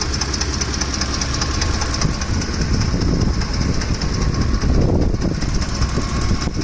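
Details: Ford F-150 with 5.4L 3V Triton V8, hot engine at idle: constant fast ticking clatter from the top of the engine, audible from a distance, now ongoing rather than intermittent, with the engine shaking; cause unknown, camshaft or timing chain suspected.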